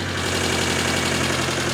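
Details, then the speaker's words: Engine in a 910 Bluebird wagon project, first start on the first crank with cheap R31 headers and the distributor reconnected: steady idle with an even beat and light top-end ticking that fades as oil reaches the top; running fine. "Yeah. It wants to live. Wow, and it sounds so good."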